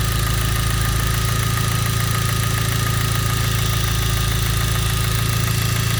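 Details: Genesis 2.0T at idle with a steady, deep rod knock of about 3.5 per second; a poorly made oil pump failed, lubrication was lost and a bearing spun, with no warning lights or limp mode.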